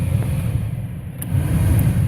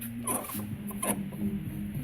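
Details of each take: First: 1998 GMC K1500 4x4 heater blower motor, just replaced behind the glove compartment: fan spins up to a smooth, low, even whoosh with no squeal or rubbing; new blower running normally. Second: 1998 GMC K1500 4x4 heater blower motor turned by hand, high chirping squeaks over a low whirring hum from a worn bearing; the fan had seized at times, not turning on full blast until kicked.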